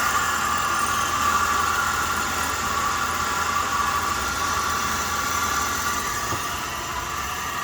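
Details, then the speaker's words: 2003 Lincoln Town Car limousine, warmed up, after a pulley noise was heard earlier. A steady, even idle at constant pitch with no misses, knocks or squeals, with a slight oil leak at the front; normal idle. "it seems you're running okay now"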